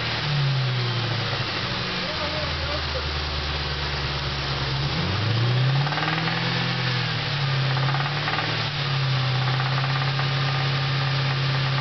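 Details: Ford 4.6 V8 revving: rough knock loud only from 2500 rpm up after running really low on oil; still runs, drives and idles fine, cause undetermined.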